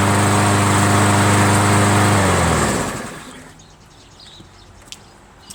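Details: MTD 500E 21-inch push mower with Briggs engine, found discarded roadside after sitting outdoors long; carburetor apparently clean, starts readily after priming. Small single-cylinder engine buzzes at steady, even speed, then winds down and stops: normal smooth running.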